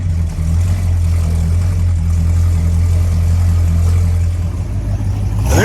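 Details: 1968 Dodge Monaco 500 with 440 Magnum V8 on a new TTI exhaust with H-pipe and Dynomax street turbo mufflers: even burble held about five seconds, then a quick clean rev blip, no misfire. Healthy.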